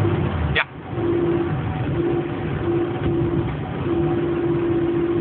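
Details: Citroën AX while driving: over road rumble, a steady mid-pitched hum drones when lifting off the throttle while coasting, disappearing below a certain speed; source unknown.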